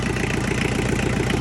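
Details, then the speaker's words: Diesel tractor after tightening loose injectors, intake hose refitted, still needing a fuel filter: even rapid chuffing idle with no misses or stumbles, much quieter; idling cleanly. "I'm gonna put our intake hose back on. Much quieter already."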